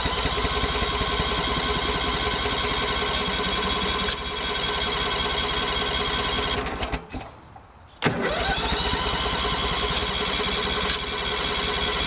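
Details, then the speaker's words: Old Toro greens aerator, believed 2002, dead battery: small engine runs with uneven beat, dies near eight seconds and catches again; hard starting and rough running, has to run half choke until warm, owner suspects carburetor needs cleaning. "so she needs some love in the cart good old carb clean you know it does run but it needs uh needs love and it kind of has to run half choke until the run warms up"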